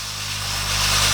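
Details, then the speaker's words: New refrigerator compressor run on inverter tester at maximum speed, discharge tube held shut: loud steady rush of gas forcing past the outlet over low motor hum, growing slightly stronger, pressure can't be held; normal discharge pressure, compressor good. "Então, esse compressor tá bom."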